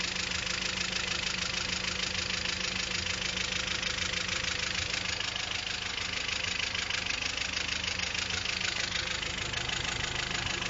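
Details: Engine at a steady idle with a fast, even, light clatter riding on top. Abnormal engine noise, cause unknown.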